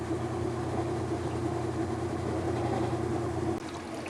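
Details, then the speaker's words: Kenmore washer, even continuous motor hum with no clicking or knocking, drive running smoothly when tested after repair of no-spin and clicking fault via an inexpensive part replacement under the machine; normal spin/agitate. "I'm going to flip it around and test it alright as you can see it works beautifully"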